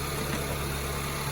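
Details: 2006-2011 Honda Civic 1.8L, charging about 14.2 V: steady smooth low hum, even idle with no knocks, ticks or whine; engine idling normally.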